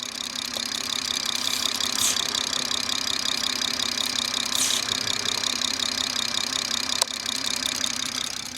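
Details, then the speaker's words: BMW B58 at idle, oil filler cap removed for a PCV test, microphone held close: steady hiss of air drawn into the crankcase with light even suction; cap came off easily, so the crankcase ventilation is normal. "I got the microphone a little bit closer so you could actually hear the air leaking into the crankcase. And there was a little bit of suction, but again, I could pull it off with ease."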